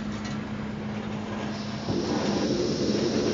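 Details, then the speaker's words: Brunton Vesta stove switched back to its LP gas canister. A soft hiss settles into an even roar with no sputter or pulsing, with no visible yellow in the flame. The burner runs clean on the gas its jet is designed for. "this is now hooked up to the LP gas canister that you can see and we'll see what the difference is in the flame"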